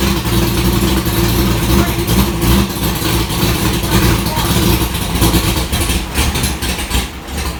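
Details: 1965 Falcon race car with tight headers, first start after wiring: loud, deep, lumpy V8 burble holding steady with a few light throttle blips; starts and keeps running fine, normal idle.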